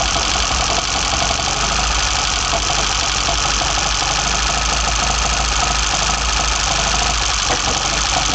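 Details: BMW 318i with M10 four-cylinder engine, first startup after fitting sidedraft individual throttle bodies (Carburetor Man / Dramatic Racing): loud, busy intake rush over a steady even engine beat, no misses or stumbles; normal running, working well.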